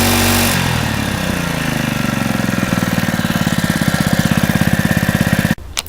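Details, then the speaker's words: Honda GX120 small single-cylinder engine reassembled after the head was taken off to inspect the piston, one bolt left over: starts first pull and settles into a steady, even putter at constant speed, no knocking; owner notes a slight exhaust valve flutter. "well it obviously works it started first pull"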